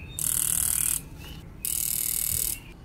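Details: Fuel injectors bench-tested on an injector tester, second bank, after one dead injector removed: fast, even buzzing clicks in bursts about a second long with pauses; the remaining injectors all fire cleanly.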